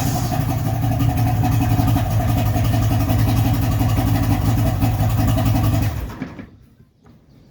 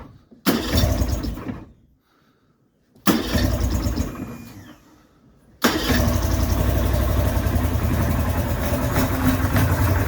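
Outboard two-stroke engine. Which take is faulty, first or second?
second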